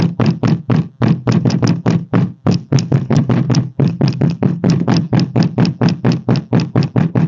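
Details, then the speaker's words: 2016 Renault Fluence: hollow loose knocks about four a second as the boot lid is struck. The inner lid panel rattles against the frame and also rattles over potholes; later fixed by wedging sponges into the boot ceiling openings. "vocês viram aí como que faz um barulho e sei quando passa em algum buraco alguma coisa assim sempre dá esse barulho"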